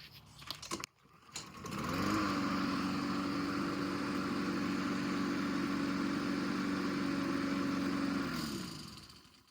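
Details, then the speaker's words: Craftsman 7.75 HP mower after new carburetor, fuel lines with shutoff valve, and air filter: catches quickly and settles to a steady even run, constant pitch, no misses, surging or knocks; running properly. "Nor runs fine."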